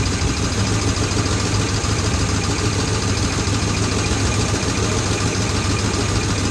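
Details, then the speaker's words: Squarebody 4x4 just after new intake manifold, valve covers and Quadrajet installed, distributor moved one tooth, mixture screws at 1.5 turns: loud uneven idle with a dead-cylinder miss and a mechanical clank; owner suspects something inside the new valve covers, not heard before. "Well, it runs, but it's got a dead miss. I can hear something clanking over here. Maybe it's something inside the valve cover."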